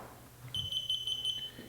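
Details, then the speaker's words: SteadyMaker Tank PLUS stabilizer switched on after LiPo battery connected: short run of about five quick high clean beeps over one second, then quiet; normal power-up sequence. "hear a series of beeps and then your stabilizer will power up"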